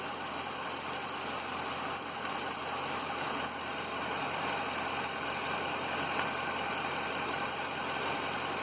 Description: Undiagnosed knock that my Grand Marquis developed. No idea what it is. It doesn't follow the rpm of the engine.